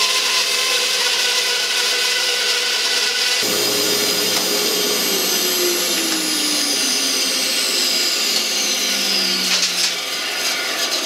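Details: 1948 Delta/Rockwell Milwaukee 14" band saw with new urethane tires and tension spring, freehand resaw test, dust collector on: steady motor hum and even blade hiss, pitch sagging only slightly under load; normal band saw cutting.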